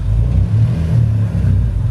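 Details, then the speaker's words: Honda Mugen ES3 (D-series) idle surges and dips unevenly, low hunting rumble with air audibly leaking; vacuum leak found at back side of engine. "idle's all messed up because the vacuum leak where she found where the leak is is on the back side of the engine"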